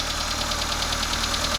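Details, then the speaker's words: Proton Wira after oil-leak, sump and overheating repairs, first start with distributor plugged back in and timing correct: catches straight away, even idle with light regular injector ticking, no knock or misfire; left idling to reach operating temperature. "From here, what I usually like to do now is let it run, let it idle until it reaches operating temperature."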